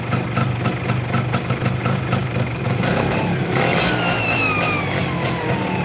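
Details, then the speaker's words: Yamaha Fiz R two-stroke, hard to start: rough, shaking idle, then buzzy uneven revs, with vibration heard from the middle of the engine around the crankshaft, masking piston noise; worn crankshaft and connecting rod bearings. "terus ada suara getar tengah ya di bagian tengah kalau di area piston nggak begitu kedengeran ya karena ketutup sama suara yang di sini"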